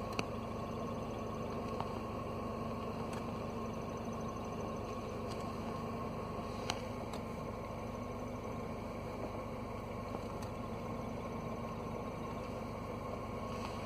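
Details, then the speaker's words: W202 Mercedes C230 Kompressor idling in neutral with the parking brake on and the door open: steady faint squeak like a slipping belt from a failing clutch release bearing; it disappears when the clutch pedal is pressed or just tapped. "you can hear the sound that sounds kind of like squeaking belt but it's actually the clutch release bearing because as we press the clutch the sound disappears"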